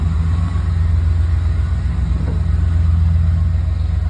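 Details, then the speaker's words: Chevy truck idling with a deep, rough, fluttering rumble and a low grinding churn from the front of the engine; owner suspects AC compressor bearings about to seize. Starter also weak, both to be replaced. "that's my AC compressor about to seize up those bearings seize up it's going to throw shrapnel everywhere"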